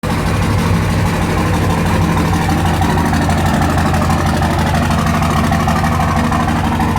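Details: 2004 Dodge Ram 5.9 Cummins, just started and not warmed up: loud cold idle with a heavy, irregular knocking clatter about three per second; bad injectors suspected, unconfirmed.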